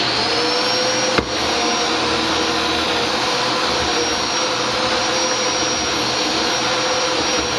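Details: Dyson DC07 vacuum test run after fixing brush bar bearings clogged with a big gob of hair that made the bar squeal (not the clutch as first thought): steady, even motor roar, no squeal or rubbing; running normally.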